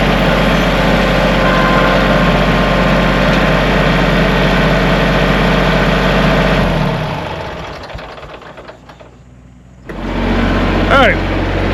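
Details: Kubota tractor diesel after the battery connections were redone: steady, even idle knock at constant speed for several seconds, no stumble, then shuts down; E93 code still showing; healthy running.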